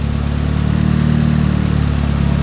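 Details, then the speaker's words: Freshly rebuilt engine, first start with mild cam, conventional oil, mechanical fan: smooth, even low idle, quiet top end with no ticking; normal, healthy idle. "so no big spicy cam but she sounds good she sounds healthy"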